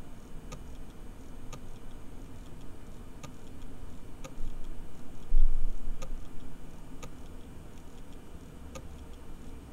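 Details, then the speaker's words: Long-buried bare hard drive (one year underground in a freezer bag) after power cycle, microphone moved close: sharp regular ticks about once a second over low hum, a modified click of death; drive very unhappy. "so it appears to be doing a very modified Click Of Death so let me uh me power cycle the disc again"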